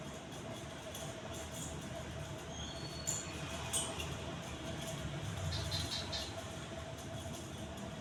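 Quiet, steady motor hum holds one even pitch with no wobble, scraping or rattle; the fan is running smoothly.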